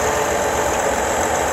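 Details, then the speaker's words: BMW F10 5 Series twin-turbo petrol engine idling, heard under the hood, with a busy clattering rattle from a bad bearing in the belt tensioner pulley, which visibly shakes. "and you definitely shouldn't hear that rattle now that rattle happened is because the bearing on that little plastic piece down there is actually bad"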